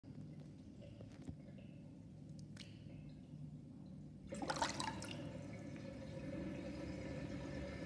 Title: New interesting sinkdrain with sinkplug 45.5 mm with whirlpool and loud gurgling sound